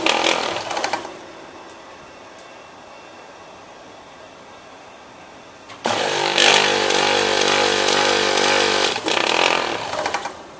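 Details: Copeland ZB42KC single-phase scroll compressor on a milk-tank condensing unit, restarted after being found not pumping: quiet hum, then a loud harsh droning roar for about three seconds; it runs noisier than normal and later appears to stop pumping again.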